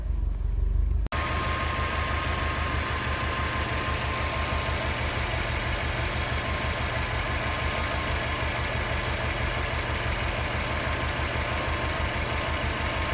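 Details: 2017 Subaru WRX STI after its short block was replaced for spun bearings, still breaking in: steady, even idle with a smooth regular pulse and no rod knock.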